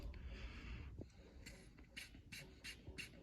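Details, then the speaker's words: Old PCV valve from a 2004 Honda Civic EX 1.7 L at just over 100,000 miles, shaken by hand: light, quick clicking as the valve moves freely inside; blow test showed little resistance, so it still works normally. "You can also shake them. You can hear that valve inside, and you can feel it as well."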